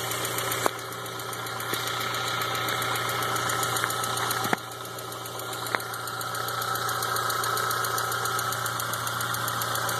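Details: 2000 VW Jetta with AEG engine: petrol engine idles with a light, steady ticking of about four ticks a second over the running sound; the ticking came up recently and its cause is unknown.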